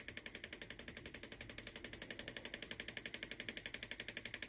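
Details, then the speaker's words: 3D-printed pulse motor with new rotor: sharp, even ticking about four per second in time with rotation as the rotor taps the housing wall; fixing it reduced the clicking. "I also got to fix the inside cuz it's tapping the wall just ever so"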